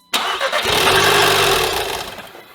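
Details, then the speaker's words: 2015 Audi TTS rollover donor: cranks, catches and runs about two seconds, then winds down and dies on first start. "Okay. I mean, it ran for a little bit. Interesting. I don't know if I'm excited or not. We obviously have some sort of issue preventing it from running, but it starts."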